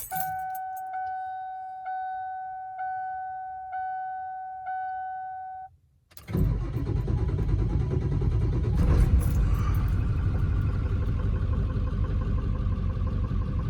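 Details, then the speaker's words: 1997 Ford F350 7.3 diesel, not started in months, cold start: warning chime, then uneven stumbling clatter at idle, misfiring badly with heavy white smoke; an injector problem is suspected. "You can hear it's missing pretty bad and smokes like a tar cat. Now I'm just going to go out on a limb here and say I got some sort of injector problem."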